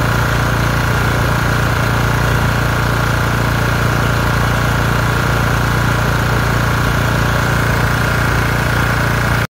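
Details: LT1040 lawn tractor single-cylinder engine after valve cover gasket repair (original gasket plus silicone) curing white/grey smoke; steady even idle, constant drone, no misses or knocks, air compressor nearby — normal idle.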